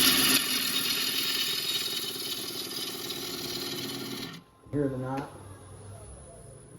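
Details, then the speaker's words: Large walnut bowl blank being turned, wetter inside than advertised; rough cutting hiss with a catch about three or four times a second, once per turn, as the gouge hits a knot and the tool is knocked off, then the cut smooths out. "Ejected my tool right off of it. But now it's getting smooth."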